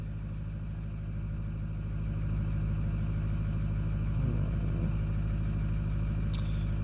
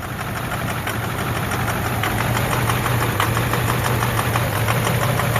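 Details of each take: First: 2009 Ford F-250 6.4 Powerstroke diesel (emissions deleted) after #7 injector replacement and injector adaptive table reset: low, steady idle settling evenly with no misfires and idle speed within spec, though still slightly vibrating. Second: 2009 Ford F250 6.4 Powerstroke diesel, cold idle in gear: uneven stumbling beat with one cylinder dropping out and fuel-smelling smoke; misfire traced to failing #7 injector, #3 also suspect.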